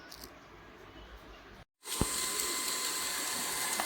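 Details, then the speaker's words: Perrysmith vacuum cleaner whose motor kept jamming and stopping, after a drilled modification and the bearing set back to make it lighter: after a pause it spins up to a steady, high, airy whir with no labouring, running fast. "Okey geng eh. Laju eh sekarang."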